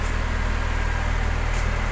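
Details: Medium bus AC after replacing the harsh-growling compressor with an original unit plus new condenser, twin dryer and fan belt, vacuumed and recharged: steady low hum with fine even pulsing, no growl or knock; cooling again, low-side pressure settling from 40 to 30.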